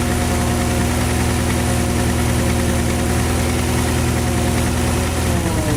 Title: Porsche Cayenne 4.5 v8 M48.00 стук в двигателе - engine knocking